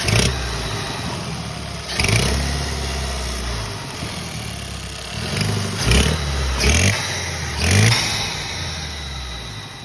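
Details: 2014 Hyundai Sonata 2.0T revved in short bursts with a raspy, puffing edge rising on each rev; exhaust leak found, not the suspected failing turbo.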